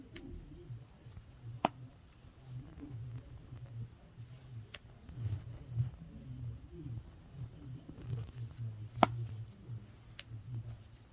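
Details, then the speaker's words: Samsung Galaxy Z Fold 3, eight days old, making sharp isolated hinge clicks every time it is opened but not when closed, starting about two days earlier. "roughly two days ago has been having some weird clicking sound every time i open the phone but not close"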